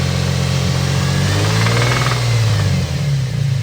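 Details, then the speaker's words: Infiniti G35 coupe, cammed bolt-on VQ engine, that spun the cylinder 5 rod bearing after overheating while drifting the day after a tune. A deep, uneven knock comes about three times a second through the engine note; rod knock. "pretty much when we heard this thing knocking it hasn't it this thing this this thing pretty much has not run it since we've heard it knocking"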